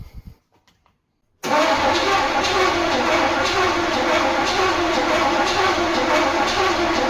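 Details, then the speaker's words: Turbo Trans Am (Swiss-market GM), first start attempt after years: even, steady cranking around 3.5 beats a second for six seconds, never catching; no ignition despite distributor checked, suspected missing signal from ECU/spark control module, jumper being tried. "So after checking a lot of stuff, there is still no ignition."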